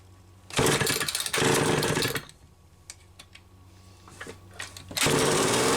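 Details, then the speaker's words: Homelite XL-500 chainsaw fitted with the optional silencer muffler, short garage test run: crisp two-stroke snarl in short throttle bursts with idle gaps, rising cleanly each time; normal running. "she should still have enough fuel in her for a little test run and we'll see how this thing sounds here in the garage"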